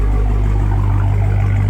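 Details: Supercharged Dodge Charger Hellcat V8 at idle after oil change: deep even rumble, smooth unbroken pulse, nothing rattling; healthy exhaust note.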